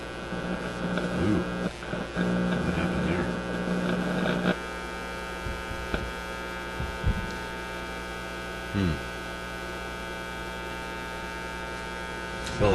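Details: Canadian Motorola MK-56R AA5 five-tube radio after tube replacement: steady low hum with evenly stacked harmonics through the audio; mains hum, plus an intermittent fault suspected in the front end, sensitive to pressing the board.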